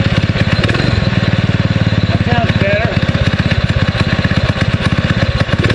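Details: 6.5 hp Predator clone single-cylinder on a springer bike, new 90 main jet with original emulsion tube: steady, smooth thump at fast idle, no stumble. Runs much smoother but lost wide-open zip; owner suspects idle jet needs enlarging.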